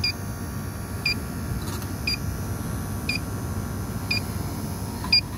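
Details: Refrigerant leak detector checking the evaporator of an old Carrier package unit with a no-cooling, freezing-up complaint. Slow steady beeps about once a second that never speed up, meaning no leak at this spot.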